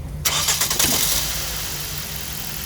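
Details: 2009 Ford Focus with no crank; the starter was replaced and still nothing. With the starter jumped directly, a short burst of cranking catches into a steady idle. The fault is upstream: the ignition switch, its key-cylinder link, or the starter wire is suspected, not confirmed.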